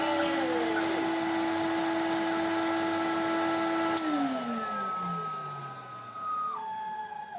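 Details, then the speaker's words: 1990s Numatic BX190 (BX.BX) commercial vacuum, first start with uncleaned filter: steady high motor whine with even pitch, winding down smoothly after switch-off; still good suction; normal running. "There's still a nice amount of suction in there."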